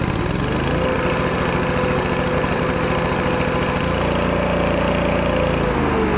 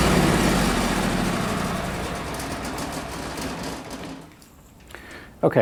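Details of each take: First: Miller Bobcat 225NT welder/generator, older Kohler engine, after idle control module replaced: low idle now engages but speed hunts up and down every second or so; owner suspects a carburetor issue. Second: Miller Bobcat 225NT welder/generator, older Kohler engine, once thoroughly warmed up: even, steady hum with no surging or stumbling. Owner says the engine needs full warm-up before the fuel pump works properly and relies on an electric fuel pump when cold.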